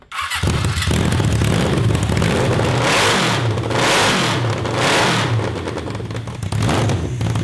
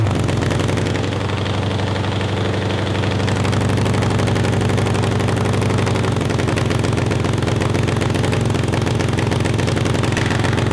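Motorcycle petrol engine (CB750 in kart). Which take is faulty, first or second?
first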